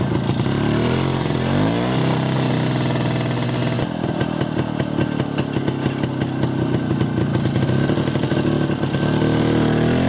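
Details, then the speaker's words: Jawa 250 two-stroke after engine teardown and rebuild (heavy smoking after dyno, suspected failed gasket): crackly low-rev rattle then firm, fairly even beat; carb tuned with self-drilled ~0.66 idle jet and 95 main jet, now responds well at low revs and doesn't hang at idle. "Nyt alkaa olla aika hyvin säädöissä tää minun mielestä."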